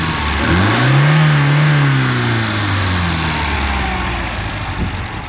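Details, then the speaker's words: 1967 Alfa Romeo Giulia Super with newly installed 1600 Nord engine, original-style air box and filter: clean crisp blip, pitch climbs and drops back to steady idle with no misses; healthy free revving. "These little 1600 engines rev really nicely, so just to get that done. But other than that, it's running quite smoothly."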